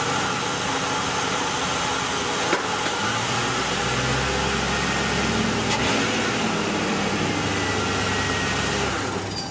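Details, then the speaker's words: 2001 Ford Crown Victoria 4.6-liter V8 just after replacing all eight coil-on-plug ignition coils: even, steady idle with a smooth low rumble, no misses, stumbles or ticking; normal. "and here we will start the car up and we'll let you hear it once how it's running"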